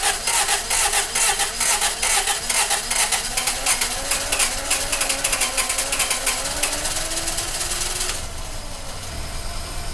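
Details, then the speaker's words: Oil-burning engine after a second Berryman's B12 treatment and Break Free CLP in the cylinders: steady cranking thump about two per second for eight seconds before it catches and runs; slow, labored cranking from fluid-loaded cylinders, though easier than before. "I'm going to go ahead and just crank it right now just to make sure we can start it, and we'll see how hard it is and if it blows a lot of smoke."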